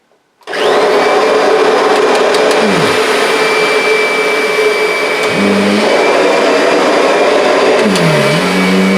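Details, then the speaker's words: Kirby vacuum with brush roll set low, belt light flickering: steady high motor drone sagging in pitch three times, bogging and recovering as the worn brush belt drags and slips under load; owner plans a new belt. "can hear it's starting to struggle, and the belt light is flickering."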